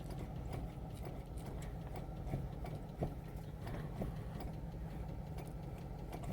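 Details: Chevy Trailblazer driving with bad wheel bearings: heavy low rumble with scattered irregular clicks and knocks on top; owner suspects worn wheel bearings, not confirmed.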